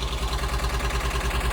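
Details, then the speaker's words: 1983 VW T3 Vanagon flat-four at first start after broken head stud removal and head seal replacement: smooth, even idle firing on all four cylinders after early hydraulic tappet clatter; temperature not yet risen. Normal idle. "sounds like it's firing on four I'll keep going with it"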